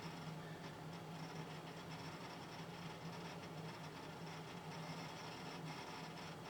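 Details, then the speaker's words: Lenovo ThinkCentre, once flooded and fitted with a new motherboard, on a slow boot from an old 80 GB hard drive before an SSD upgrade. Faint steady spin hum with quick, irregular ticking seeks throughout. "As you can hear by the way it's running, it is quite an old hard drive that I put in it."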